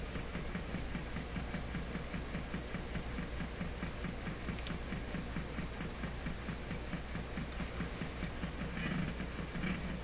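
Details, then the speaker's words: Nordmende Caruso console tube radio during a repeated FM alignment step, indicating meter connected: steady, fast, low thumping pulses over a background hum, cause unknown. "i don't know what that thumping is"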